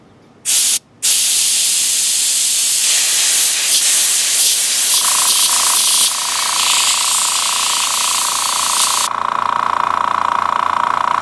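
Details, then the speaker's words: Master Airbrush TC-40T compressor with a Paasche airbrush: its regulator is factory-set at 60 psi instead of the expected 30–35. The airbrush gives a loud, harsh hiss with a steady tone on top, from excessive air pressure. "Looks like it's set at the factory at 60. Whoa."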